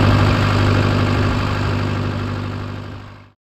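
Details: Case VAC tractor idling after a new aftermarket water pump was installed for overheating after a coolant change; gauge steady around its normal 40. Steady, even idle chug at about four beats a second, no knocks or squeals; runs smoothly.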